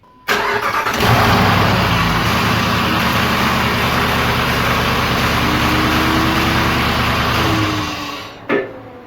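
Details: 2006 Jeep Grand Cherokee 4.7L V8 after valve cover gasket replacement: cranks, catches quickly and settles into a smooth, steady idle with no tapping or misfire. Normal start and idle.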